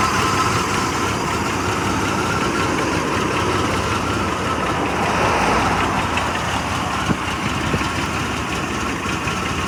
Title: Blazer running with rough idle